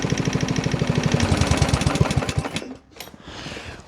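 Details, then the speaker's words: Junk 139cc lawn mower engine run on oil as fuel, now fed power steering fluid after jack oil. Hard sharp knocks about three per second over rough running for two seconds, then it stumbles and quits; knocking badly. "Here's our power steering fluid of choice. It's knocking really bad."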